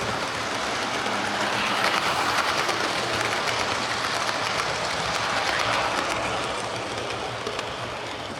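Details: Hornby HST model power car running after service; one of the pair had its motor replaced and its bogie frames swapped. Steady, even whirr at constant speed with rail clicking; both run okay now, normal running.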